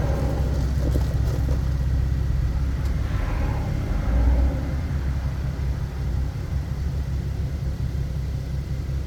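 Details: 2015 Nissan 370Z after front-end collision and frame repair, running after its cold start: steady, even low rumble without misses or knocks; running good, settled and healthy.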